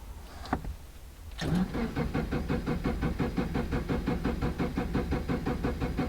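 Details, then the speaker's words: 2005 Subaru Forester XT after STI conversion (VF39 turbo, new up-pipe, intercooler): accelerator floored for clear flood mode, starter cranks steadily about three turns a second without starting, priming turbo oil; cranking without start. "it's not gonna start up it's just gonna crank and crank that is for clear flood mode subaru has that too clear flooding situation if your car is flooded with fuel"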